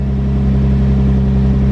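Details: Infiniti G35 with code P0304, cylinder 4 misfire, old broken ignition coil refitted: loud low engine drone with slightly uneven, lumpy beat at idle from the failed coil misfiring.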